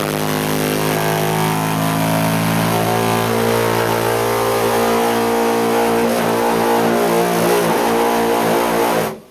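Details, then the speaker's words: Gas tankless water heater, intermittent since October 2009: a faint hum, then a loud steady low drone with layered overtones, like the Titanic horn, that only stops by turning the water off and on; cause unknown. "just before it starts to do it you hear this little bit of a hum and then once the harmonic vibration"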